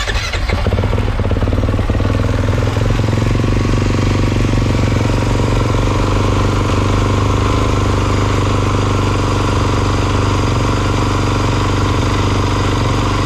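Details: 2022 Kawasaki KX450, about 9.9 hours, which started cold but not hot, after a fuel pump rebuild kit was fitted: fires quickly after a short crank and settles into a steady, even idle with no stumbling; healthy start.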